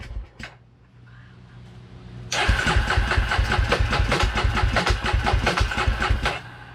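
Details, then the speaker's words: 2003 Polaris Predator after reassembly with new fuel line, filter and spark plug, carb refitted: cranks on a weak starter, catches suddenly, then runs lumpy with three or four surges a second; flooded, wet exhaust, very rich. "It hits hard. Look how wet the exhaust got. I thought she was up. She flooded."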